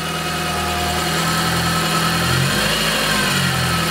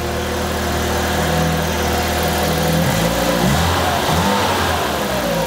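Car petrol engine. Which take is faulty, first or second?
first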